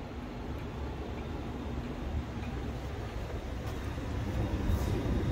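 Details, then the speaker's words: Aspen air handler in cooling mode at about 68, after the delay was set from 5 minutes to 1; steady low, even rush of air with no squeal or rattle, normal blower operation; pressures then about 125 low and 360 high. "running, good deal."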